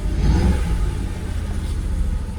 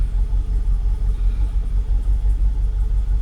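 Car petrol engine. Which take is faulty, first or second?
first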